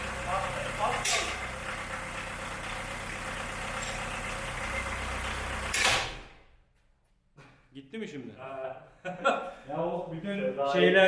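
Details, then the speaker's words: VW Jetta Mk2 coupe engine bound for scrap, idling roughly and noisily, then the timing belt is deliberately pulled off while running; sharp clatter and the engine dies abruptly. Stall from timing belt removal. "motor çalışırken triger kayışını çıkaralım yolda triger kayışı koparsa başınıza ne gelir"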